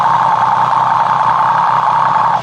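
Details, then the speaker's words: Triumph 765 motorcycle at idle, customer complains of ticking noise: stethoscope on the left crankcase gives only a steady, even mid-pitched hum with no knocks; crankcase sounds normal. "吧？曲轴箱是没有声音的。"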